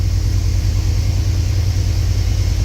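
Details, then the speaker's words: 1989 Chevy Silverado right after replacing the faulty coolant temperature sensor that caused the no-start, battery a little weak: started right up; steady, even low rumble at idle; normal idle. "that started right up like right up battery was a little weak I don't know why the Charger's been on it"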